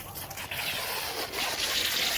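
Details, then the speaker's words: Winter blowout of a Rainbird 9-zone sprinkler system in Utah, each zone set for 3 minutes, compressor air line just connected: hissing air with wet sputtering bursts as remaining water spits from heads; normal blowout. "And we're just going to connect it right here. And you can hear the air coming out of the sprinklers."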